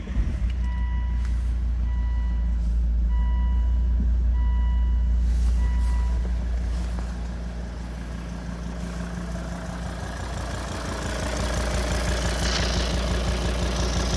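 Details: Volvo D5 diesel with hard starting: five warning beeps, then idling with a fast, even tick through its clatter; owner suspects lifter tick, unconfirmed.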